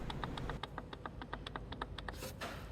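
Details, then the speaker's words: Fiat Coupe 20V Turbo under inspection: fast, even clicking about six per second over light hiss from the front drive shaft; drive shaft noise, cause not yet found. "uh that's getting close but uh still okay little bit of a noise coming from this drive shaft as"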